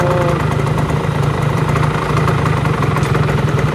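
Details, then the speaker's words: Motorcycle at steady idle with a rough, chattering rattle from the right-side crankcase when the clutch lever is released; the noise disappears when the clutch is pulled in. Clutch damper rubbers are to be checked. Cause suspected, not confirmed. "Oke teman-teman, jadi motor ini keluhannya kalau kita lepasin kompling bunyinya ngeradak seperti ini. Ya, kalau kita pencet komplingnya suaranya hilang."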